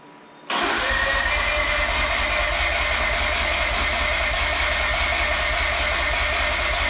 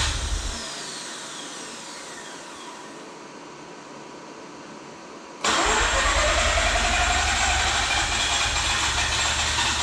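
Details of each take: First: Mazda RX-8 freshly rebuilt rotary, after deflood procedure with plugs out, plugs reinstalled: starter spins engine at steady even rhythm for several seconds but never fires; crank-no-start, cause unconfirmed. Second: Freshly rebuilt and reinstalled Mazda RX-8 rotary, first successful start after the deflood procedure and repeated attempts: quiet fading whir, then it catches abruptly around five seconds and holds a steady, buzzy idle; it starts and runs properly.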